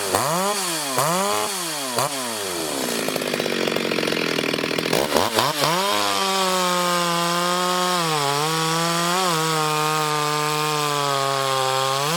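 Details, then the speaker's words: Ported Stihl 026 chainsaw on shakedown cuts in hard wood: a few quick throttle blips, then a strong, steady high scream that sags only slightly under load. Clean, healthy running under load. "um for shake down passes I think she's doing pretty good but again you know that wood is pretty hard"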